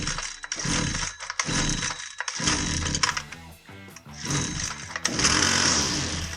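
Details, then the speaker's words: Husqvarna 122C string trimmer, won't start; pull-starts catch in short ragged bursts that cut off abruptly, ignition cutting on and off; kill switch circuit possible but ignition module suspected failed; intermittent ignition cutout. "We confirmed the customer complaint that it won't start, and if you notice there, it acted like the ignition was cutting on and off."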